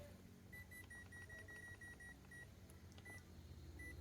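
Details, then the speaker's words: Toshiba rice cooker converted from 100V to 220V, with a blown fuse and an earlier repair by another technician, plugged directly into 220V on quick cook: repeated short high error beeps and it will not cook; circuit blocks likely need redoing. "Đấy tít tít tít tít này. Anh ấy đã thay sửa rồi."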